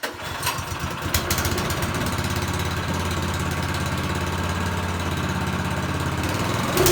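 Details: Small single-cylinder snowblower engine test-started on choke with fuel line hooked up before reassembly; catches after a few uneven seconds, then settles into a steady, even drone with no misses. Runs successfully.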